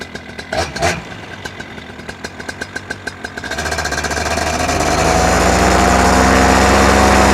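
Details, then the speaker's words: Paramotor after a piston clean; even popping idle near four beats a second, then revving to full throttle with a thin metallic tinny ring over the buzz; owner has always heard it on this motor and once feared metal tapping, cause unclear. "And especially when I went full throttle, you hear like this metal tinny sound. And I always have had that with this motor, and it always worried me because when I first started flying, I thought it was like metal tapping."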